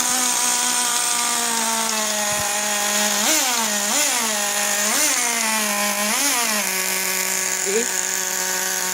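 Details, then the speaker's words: Traxxas T-Maxx 2.5 nitro (.15 engine) after three months, low-speed needle one turn out from flush: high, buzzy idle that stays fast between throttle blips; idle set too high and needs to be richened. "the thing is the idol is still a little bit too high so we'll turn that rich a little bit"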